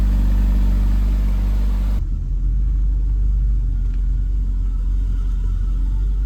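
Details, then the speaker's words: 1990 BMW E34 M5 inline-six with a low-rpm misfire and stalling, idling after the ignition leads and cap were refitted; low, even rumble with no stumbles; the idle sounds normal, though an accessory-belt whine is noted. "all right idle sounds good"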